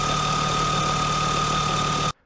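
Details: BMW E34 with a new S52 inline-six swap, after camshafts were swapped to diagnose an engine problem; microphone at the engine bay. Smooth, even idle with a steady whir and only light, roughly normal valvetrain tick, no misses or knocks; a healthy S52.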